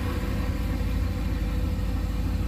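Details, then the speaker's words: Boosted LS 6.0 V8 in a Fox-body Ford, Holley Terminator X Max ECU, idling in the garage on initial start. Deep, steady rumble with an even, unbroken beat, no knocks or misses; healthy idle. "so that's what it would sound like if the exhaust was open actually sounds pretty good"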